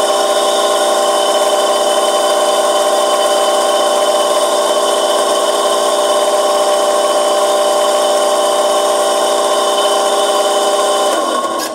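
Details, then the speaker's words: Washing machine motor, rodent-contaminated unit: loud steady hard whine with rough edge during spin, unbearable noise; worn motor bearing to be replaced, not yet done. "é insuportável né gente isso cuidado com raiva da outra vez mais o seguinte vai trocar esse rolamento se motor mas não vai trocar hoje"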